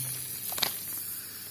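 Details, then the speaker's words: Steady, high hiss of pressurized water escaping from a burst hot water pipe behind tiles, exposed through a small opening, with one brief tap; the leak was then repaired by welding the elbows. "sesi de geliyor zaten evet bu sıcak su atlı patlamış bunu da bir belirtelim"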